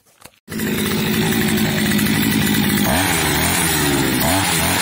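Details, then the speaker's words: Petrol brush cutter that had spark but wouldn't start, after carburetor replacement: fires after a short pause and holds a steady buzzing run with one clean rev change; normal running. "и так как только поменял карбюратор вообще никаких проблем сразу начал заводиться тык-тык и все"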